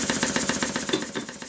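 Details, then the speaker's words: Stuart beam engine model under restoration, run on compressed air with pulley and parts secured, slop in valve gear and side play at beam: rapid sharp knocks about seven a second like a machine gun, worse at high speed. "that's interesting with everything secured it now sounds like a machine gun especially at high speed"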